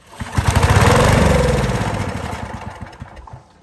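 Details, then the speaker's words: Honda G300 pressure washer engine, left outside for years then stored, very varnished carburetor, missing sediment bowl on fuel valve, started on starting fluid: catches with quick pops, builds to uneven run, then thins out and dies from fuel starvation. "all right she wants to run so she wants to run that means we just got to get her fuel"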